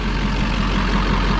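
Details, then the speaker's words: LLY Duramax after a Pusher hot/cold side, Y-bridge and S&B intake install, hood off, warming up after coolant fill; deep, even diesel clatter at steady idle, no misses or knocking, sounds really good; normal warm-up idle. "We're fired up, sounding really good. We got some coolant in it. We're gonna let it warm up"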